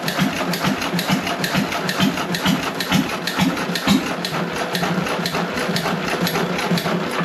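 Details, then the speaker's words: John Deere 1.5 hp hit-and-miss gas engine first run after repair, no water in hopper, barely warm: firing pops about two a second with coasting gaps, no knocking; normal hit-and-miss running. "I'm going to not tou it as long as running CU if it hooks around something it's going to try to St up but the engine is hitting the Miss and running"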